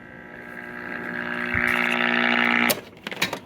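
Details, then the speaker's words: 1947 Radiola AA5 All American 5 AC-chassis tube radio with a 50L6 output tube: at first power-on a low buzzing hum with tones swells as the tubes warm, then cuts off. The filter electrolytics, one an old replacement probably from the 60s, are failing. "Those electrolytics are on their very, very, very last legs. But that's a good sign."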